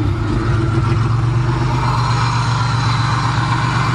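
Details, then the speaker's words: Van engine idling smoothly and evenly with a low hum, no knocking or misses, on its first start after being hydrolocked by driving into water; intake manifold removed to dump water, spark plugs likely still wet. "oh she wants to live yes it's alive"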